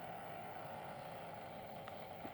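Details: Taito F3 arcade board original small cooling fan, notoriously noisy, before replacement with a 25x25x10mm fan: quiet steady rushing whir with rough gritty edge, no rhythm; worn fan bearing grinding.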